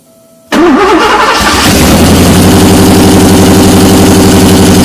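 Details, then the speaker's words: Porsche 928 V8 (tan car) started after sitting all winter, first start in 15+ years: cranks briefly, catches at once and settles into a loud, steady, even idle through open pipes; non-start traced to crank position sensor connector. "I guess that means the reason it hasn't been running was position sensor connector"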